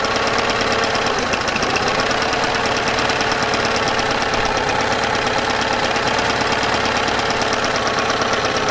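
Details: Yamaha 9.9hp outboard idling after warm-up, after replacing a cracked, dried-out carburetor diaphragm that caused heavy gas leaking; buzzy steady idle with even beat, no stumbling or surging; leak fixed, running smoothly.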